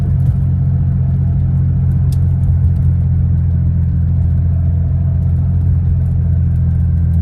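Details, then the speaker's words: 1979 Porsche 930 started cold with new replacement fuel pump relays: steady, even low rumble at idle with no stumble or surging; previously rumbly and hesitant when cold, now responds immediately and sounds properly fuelled. "yeah that sounds like a nicer startup let see yeah we got a beautiful morning and uh engine just sounds just better maybe that's the sound of it being properly fueled"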